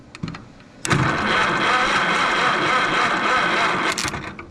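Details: Minneapolis-Moline tractor (ZTU/ZA/ZB family, ZB being tried) on a 50-degree spring day, spark uncertain: steady starter churning for about three seconds with no firing or catch, then stops; cranks but will not start, cause unconfirmed.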